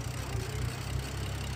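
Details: BMW F10 after a no-code rough idle that owner suspects came from pollen in the cold air intake, now cleaned: steady low, even idle rumble with no misses or stumbles; settled and smooth, though the belt tensioner is described as failing.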